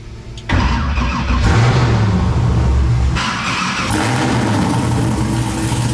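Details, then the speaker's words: LS V8 swapped into a Nissan 350z drift car with new stainless exhaust, first fire after priming oil: catches after a short crank, settles to a deep even burble, all eight cylinders firing extremely smooth; normal idle. "somebody's hitting on all eight extremely smooth"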